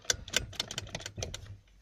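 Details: Toyota Prado 120 with knocks felt in the steering column and wheel, intermediate shaft rocked by hand: sharp, irregular metallic clicks in quick bursts from play in the worn fluoroplastic bushing; worn intermediate shaft bushing found as the cause.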